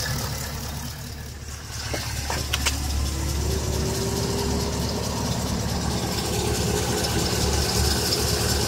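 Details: Engine at idle with a light, fairly even tick about three times a second; possibly lifter tick, unconfirmed.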